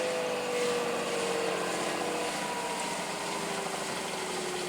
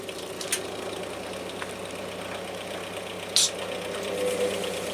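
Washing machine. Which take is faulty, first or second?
second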